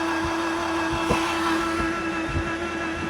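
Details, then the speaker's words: BMW Z3 with its 1.9 M44 engine, due to be pulled ahead of a rotary swap. The key is on and the engine off. A faint, steady mid-pitched hum is the fuel pump priming. The engine only pops and bangs because the firing order had been set wrong. "So, fuel pump's primed. I don't know if you can hear it."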